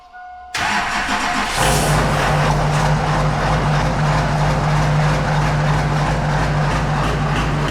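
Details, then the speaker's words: LB7 common-rail diesel brought in for a fuel concern: a hard, loud clatter right after it fires keeps knocking at idle. At least one injector is stuck open, possibly more; the injectors will be pulled for testing. "We got at least one injector stuck open, if not more."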